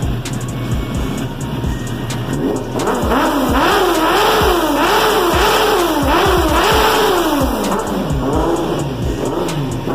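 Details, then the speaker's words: Suzuki GSX-R 750 four-cylinder after finished service, nearly out of fuel (fuel light blinking), final check before delivery: crisp revs climbing and dropping cleanly in repeated blips, smooth and even, no knocks or misses. Normal revving. "Tá muito pouco já, eu já testei muito essa moto, mas vamos ouvir o ronco dela pela última vez,"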